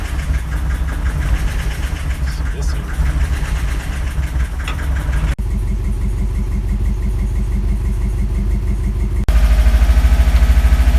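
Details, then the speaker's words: Subaru Impreza GC8 with swapped EJ205: lumpy, uneven idle loping about three beats per second, never settling; it first held around 1500 rpm and then dropped. "it started to idle around fifteen hundred stably and then after a minute it dropped down but it still sounded weird"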